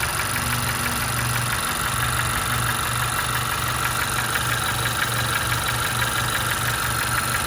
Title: 2016 Honda CR-V Engine Knock